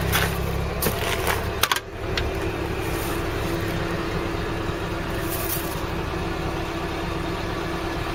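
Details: Classic car, passenger side: steady, even low idle hum, no misses, knocks or ticks over light background rumble; engine idling smoothly.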